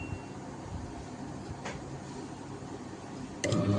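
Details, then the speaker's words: Inverter fridge with four sensors connected, switched on normally: a sharp tick, then a low steady hum as the compressor and fan motor start running and cooling begins; normal compressor start. "டிக்குன்னு sound வந்ததா பாருங்கள். Fan motor இது ஓடிட்டுருக்கா compressor. இப்போ on ஆகி cooling வர ஆரம்பிச்சிடும் ஓகேங்களா."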